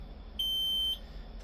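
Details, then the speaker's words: Shuttlewagon with a Cummins QSB6.7 diesel, in limp mode: high steady beep for about half a second, repeating. Low air pressure alarm with the brake system not aired up; it stops once aired up. "All right, we got some kind of error and we're beeping because no air pressure."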